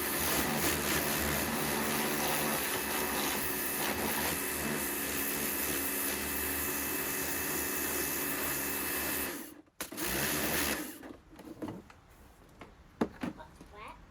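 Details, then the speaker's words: Karcher K2 pressure washer after motor swap from a K2 Compact, water connected; steady even motor hum with water hissing through for about nine seconds, then off; no strain or leaks, normal running. "So we've got water coming through. Let's try turning it on. Sounds good."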